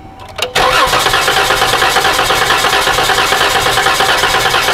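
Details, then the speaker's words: 2012 Dodge Caravan/Chrysler Town & Country 3.6L cranking during a scope relative compression test. Fast cranking with a slightly lopsided beat, some strokes weaker; cylinders 2 and 6 show low compression. "그러므로 압력이 낮은 실린더들은 여기~ 이것이 6번 실린더 이것은 1번 그리고 2번도 마찬가지로 2번과 6번 실린더가 압력이 낮습니다"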